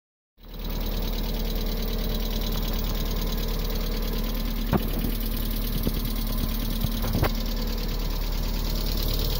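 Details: 1998 MGF, first run in a few months, steady idle with a few sharp irregular knocks; abnormal engine noise, cause unknown.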